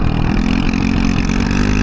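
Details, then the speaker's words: Honda Ruckus GY6 scooter ridden with the intake air filter missing; thin, hollow engine note with uneven popping under load, running lean from the missing filter. "It started running real fucking lean due to the air filter, lack thereof."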